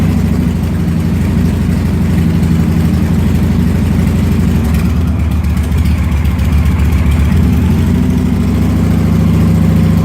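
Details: Motorcycle idle after the throttle was worked to get past a rough-idle spot: steady, low, even beat with no stumbles or dips; it idles and runs fine afterwards without stalling.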